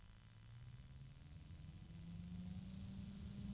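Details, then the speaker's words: Large fan started at full voltage, then turned down toward its lowest speed of about 800: a low droning hum that creeps slightly higher in pitch and louder as it spins up; loud, measured at 60.9 dB. "and it's loud 60.9 DB loud so think about that too man that is loud"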